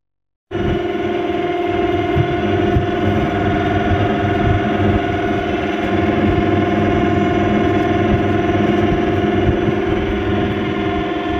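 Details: Samsung 12,000 BTU split air conditioner about 5 minutes after switching on: loud steady drone with a fluttering rattle at about four pulses per second; abnormally loud running noise, unit then opened to find the cause.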